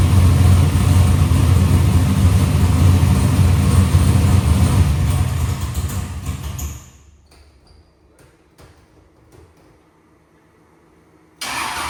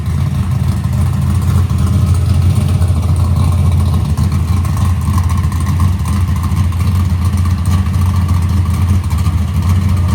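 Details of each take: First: Box Chevy carburetor after a small idle mixture adjustment: steady, even low rumble with a regular lope; idle AFR is back where the owner wants it. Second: Box Chevy carburetor intermediate-circuit tuning, warmed up, after a mixture adjustment: deep steady V8 rumble at part throttle with a slightly uneven, blubbery edge; wideband shows it still rich, though improved slightly.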